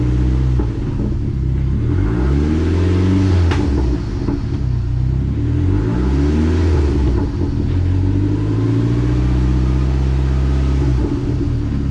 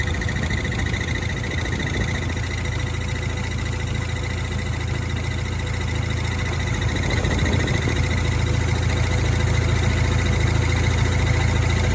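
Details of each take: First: Dodge SRT4 after repair: the failed aftermarket clutch pivot ball had let the fork sit low, break the release bearing retainer and damage the case mount; also fixed ground wire and battery connections. Now pulls cleanly through each gear, no whine, clunk, grinding or rattle. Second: Dodge SRT4 idling: fast, steady light rattle at the clutch fork, similar to but different from throwout bearing noise. Failed aftermarket pivot ball changed the fork angle and broke the release bearing retainer, damaging the pivot mount.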